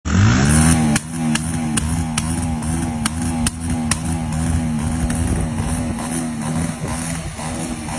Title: Misfire🔥 on pulsar 150cc #reels shortvideo